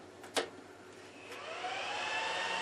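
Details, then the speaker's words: Juniper EX2200 network switch at power-on, before fan replacement, near a desk: rising fan whine settling into a steady, fairly loud rush, about 50 dB in front; loud stock cooling fans during boot. "I don't like that that's too loud I mean that's that's just from the booting so as you can hear it will get a little bit quieter but it's still relatively loud"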